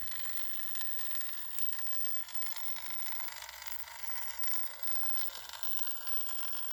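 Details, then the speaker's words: 9-year-old ParkSafe 24V 3000W inverter with case off, powering a 150W red lamp: thin, steady high buzz with hiss, louder than with cover on; owner unsure if normal, cause unknown. "Is this acceptable? Is it an acceptable noise for a inverter or is it a bit loud? Little bit on the loud side."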